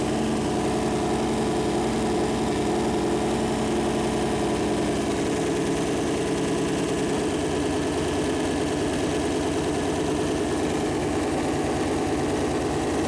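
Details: First start of a freshly built Chevy Performance 454 big-block V8 on a run-in stand: even, steady idle with a constant rumble and no knocks, ticks or misses. Normal idle; the plastic oil-gauge line later hit the warm headers and leaked.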